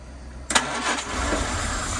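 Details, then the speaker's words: 1963 Humber Sceptre that sat for 7 years, started on jump leads: brief starter whirr, then it catches at once and settles into a steady, even idle. A clean start. "Oh, she purrs! Purrs like a kitten."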